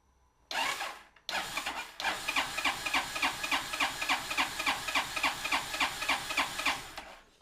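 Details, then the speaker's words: Honda Spazio CN250 after fitting a reground camshaft and adjusting valves, spark plug cap removed, cranked on the starter to prime oil and check timing; even whirring, about 3.5 pulses per second, no knocking, valves not hitting: normal cranking. "bon première nouvelle est bonne l' semble bien calé et ça tape pas dans les soupapes"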